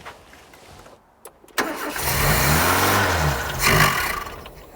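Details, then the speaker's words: 80s Ford XR hot hatch left in a garden for 25 years, first start using an auxiliary fuel pump: it cranks and catches raggedly, with revs swelling and wavering before sagging; a rough, stumbling start, with flooding suspected from over-priming by the pump switch. "I've flooded it I'm going to I'm every time I touch that switch I think it over primes it right"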